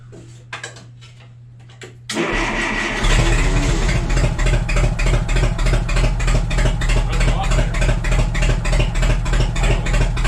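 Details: Cheap $200 forklift after ignition work, distributor cap refitted: after cranking it catches and runs with an uneven, lumpy pulse of about 200 beats a minute, a steady miss from one dead cylinder's plug.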